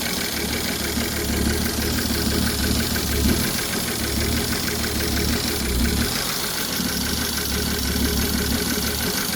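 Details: Ford 3.5 EcoBoost V6 from a Police Interceptor idling with a steady, rapid metallic connecting rod knock riding over the engine note.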